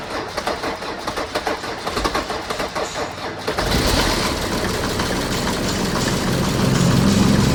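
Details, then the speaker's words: 1995 Mercedes-Benz W124, first start after sitting three months following repair work. Steady rhythmic cranking about four beats a second, then it catches on the first long crank and settles into an even diesel clatter: a healthy cold start. "സ്റ്റാർട്ടായിട്ടുണ്ട് guys, all സ്റ്റാർട്ടായിട്ടുണ്ട്. First സ്റ്റാർട്ടിൽ തന്നെ ഒന്ന് നീട്ടി crank ചെയ്തപ്പോൾ ആൾ start ചെയ്തു."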